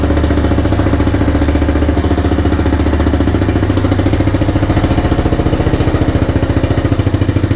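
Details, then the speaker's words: 1985 bike (Big Red) just restored, started on a snowy morning: loud regular single-cylinder beat at idle, about three and a half pulses a second, holding even; normal idle. "let's do it again are you ready are you steady here we go boy this runs so nice any fuel"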